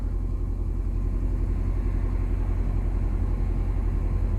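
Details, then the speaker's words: 2005 Nissan Altima 4-cylinder, cold after sitting about 3 days, left idling for about a minute during the throttle body relearn: steady deep rumble held at an elevated idle near 1500 rpm without hunting. Owner suspects the cold engine is the cause. "ممكن عشان السيارة باردة. السيارة طافية لها كم 3 أيام تقريبا."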